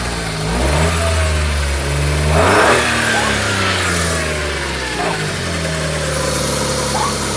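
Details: Smart ForTwo running for the first time since September, alternator still seized (its belt also drives the water pump; the aircon compressor is not kicking in): engine catches and revs up and down smoothly with the throttle, sounding healthy.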